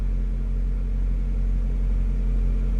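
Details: Toyota AE86 on a Link Monsoon ECU with Panic Wire harness and base map, plus NST pulleys, before dyno tuning; at 36 °C: steady, even low idle with a smooth pulse and no stumbles, misses or knocks; normal idle.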